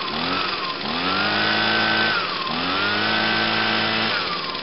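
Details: 2009 Echo PB 251 two-stroke blower on a cold start, with choke on and five primes. It revs up to a high steady whine, drops back, and revs again, clean and even each time, which means normal running.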